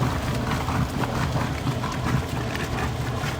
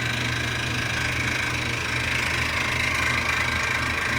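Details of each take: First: Maytag Performance washer after replacing the water pump that had bad bearings and grinding: steady low hum with water swishing, no grinding or rattle; new pump running smoothly, normal operation. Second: Performance washer drain water pump, removed and pulley turned by hand: a loud, steady, gritty whir with low hum from failed internal bearings; the replacement pump is silent.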